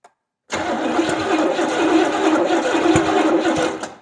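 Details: 1970 Buick Skylark with Buick 350 V8, sparks confirmed and fuel added: steady starter cranking roughly three beats a second for about three seconds with no catch; cranks but won't start, distributor timing suspected.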